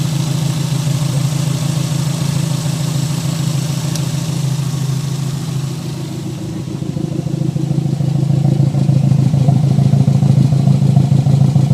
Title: Mr2 not running right misfire popping from the exhaust on idle